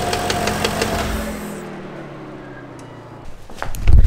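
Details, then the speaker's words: BMW E39 V8, VANOS suspected: quick regular front-of-engine clacking, much louder than before and extreme in a certain rpm band under throttle, fading as revs drop; exact source unconfirmed. "da haben wir noch nachholbedarf würde ich sagen also das ist wirklich extrem und es ist viel lauter geworden als vorher"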